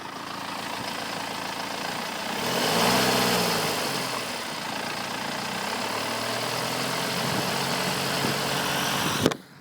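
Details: 2008 BMW 318d diesel, 140,000 km: idle with a fast rattle, about four per second, louder when revved and heard when stopping the car; timing chain rattle, gone after timing chain and tensioners were replaced.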